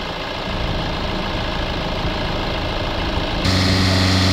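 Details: Honda diesel with a re-blocked DPF and oil above max: an even idle clatter, then a steady low hum joins as the AC engages after regassing its low pressure. It is idling normally with the AC running.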